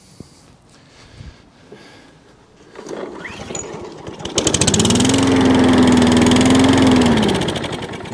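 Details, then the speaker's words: Wolf lawnmower, carb already cleaned: with carburetor spray it cranks, catches, runs roughly about three seconds, then dies; fuel starvation, suspected cracked primer bulb. "It's a fueling issue. So even though we've done a carburetor clean, it's still got a bit of a fueling issue."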